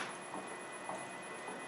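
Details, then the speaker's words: LT230 transfer case on a test bench, electric motor with speed controller at its lowest speed, in diff lock: soft rhythmic knock about every 0.6 s, like a missing gear tooth, persisting under hand load; cause suspected, not confirmed. "Now, this is the lowest speed it will go. Can you hear that? It's like there's a tooth missing."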